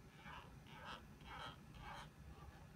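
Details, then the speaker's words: Dyson AM06 bladeless fan oscillating: faint squeaky, cranking chirps about every half second over a quiet hum, in time with the oscillation; comes and goes, likely friction in the swivel drive. "I have a Dyson am06 fan and it's developed a really annoying habit it's happened not too long after I got it and it's persisted on and off and perhaps you could hear it if you listen right now so it makes a kind of a cranking squeaking noise as it"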